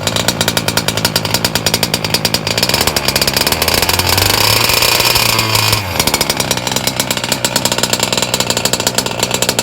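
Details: Two-stroke on a break-in run, set fat: a high, buzzy scream holding steady with one brief rev change, a little rich but clean.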